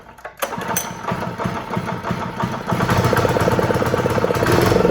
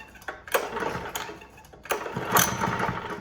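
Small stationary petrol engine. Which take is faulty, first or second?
second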